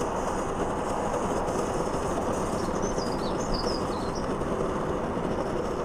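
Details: Trangia X2 multi-fuel burner after priming and heating up: steady, even roar with no sputtering or surging; burning cleanly.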